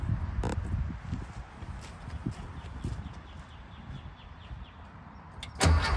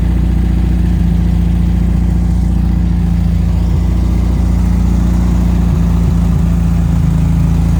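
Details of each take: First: 1974 VW Thing air-cooled flat-four with Solex carburetor, first start after sitting since about 2005, points just cleaned: engine surges hard and wants to run away on its own, throttle stuck wide open; automatic choke rod suspected not working. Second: 1974 VW Thing with scat exhaust, on a stand after freeing a throttle stuck wide open, float bowl filled with regular fuel: steady, even low burble at idle with no misses, knocks or hunting. Runs smoothly on its own; normal idle.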